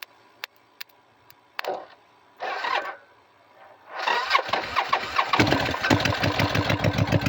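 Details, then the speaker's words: Engine catches after a few cranking bursts and runs at a fast, uneven idle of about three or four beats a second but cannot rev; fuel starvation, not enough fuel, needs new fuel pump (starter solenoid also faulty). "Because, yeah, there's not enough fuel in there to open it up and let it really sing. So, yep, just need a fuel pump."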